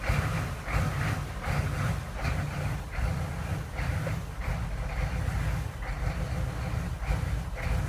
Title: 6.5 turbo diesel lope/rough idle